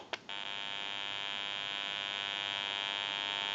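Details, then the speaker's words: General Electric 27909 cordless telephone during final checkout after repair (piezo ringer replaced), open amplifier switched by a button to give dial tone: after a click, a steady bright buzzing hum with no crackle or dropouts; normal open-amplifier hum, prone to RF interference. "And since it's an open amplifier, it is prone to any static interference or noise in the atmosphere, like radio frequency or RF power."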